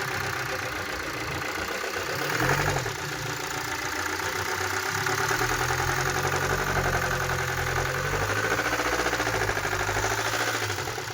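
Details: BMW X1 diesel at idle: rapid, fairly steady knock over the diesel clatter, about three to four per second, diagnosed as a connecting rod/crank problem, pointing to a worn rod bearing.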